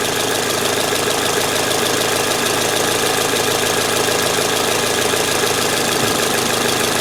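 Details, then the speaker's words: 2006 Toyota Corolla 16-valve at idle: a steady fast tick of about three per second, with the sound changing when throttle is blipped. Owner suspects the intake manifold, exhaust or belt (recently replaced); source unknown. "I'm getting this weird noise and I don't know where it's coming from"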